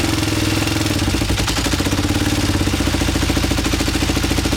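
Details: Kawasaki Ninja 500 in cold weather after oil change, idle had been about 4000 rpm with choke off and was lowered: steady rapid chuffing about three pulses a second that never catches. Hard starting.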